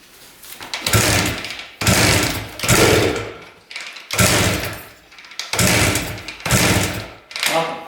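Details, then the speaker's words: 1973 Harley-Davidson Aermacchi TX125 two-stroke, carb cleaned, premix fuel, on choke; owner worried about low compression. Seven kicks, each a chuffing rush that fades without catching; tries to fire but never runs. Cause unconfirmed. "I'm a little worried about the low compression. So, hopefully it's enough to start this thing."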